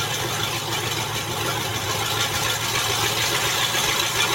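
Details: Land Rover Discovery at idle after transmission reinstall: loud hissy raspy rush with uneven flutter; big exhaust leak at the flex-pipe patch where the catalytic converters had been cut off.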